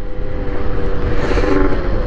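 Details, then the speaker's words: Honda NSR80 two-stroke after head gasket replacement; idle that rose from 1500 to 2000 rpm after full-throttle runs (suspected air leak) is now stable: even buzzy drone swelling with a little throttle and settling smoothly, no misfire; healthy. "アイドリング7全開走行の後を結構ね高めへになるという症状が出てたんですけどそれもね幼って数石ね安定しています"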